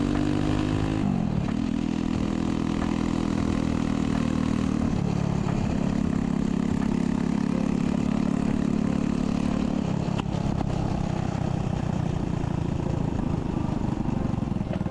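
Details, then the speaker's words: Loud, raw, blatty single-cylinder drone with rising and falling revs from a 125cc 4-speed engine in a chopper build; exhaust pipe had to be cut short to clear the kick start, making it far too loud. "as you saw we had to cut the exhaust um so now it's just loud it doesn't sound good"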